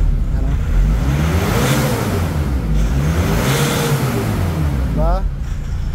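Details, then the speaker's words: Nissan Navara diesel that would not start, after replacing a defective boost sensor, no fault codes: it revs up and back down twice, smooth and even with no misfire. Running normally after the repair. "So ayan napaandar na natin yung nabara mga kamekaniko ayan so okay na-accelerate na. Nagaaccelerate na siya tapos normal na rin yan."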